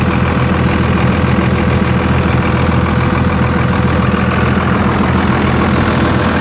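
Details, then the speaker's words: 57K-mile Dodge Ram 3500 heavy-duty truck, driveshaft missing, recorded at the exhaust: even steady low rumble, consistent exhaust beat, charging nicely, no knocks; normal idle. "Man, guys, this thing is perfect. Charging nicely. Listen to her."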